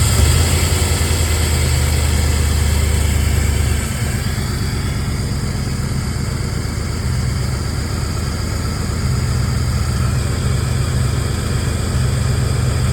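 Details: Engine with exhaust leaks, low power, tries to stall when braking, no check engine light; owner suspects timing, cylinder head, distributor, CMP or MAP sensor: low uneven lumpy idle sagging around four seconds.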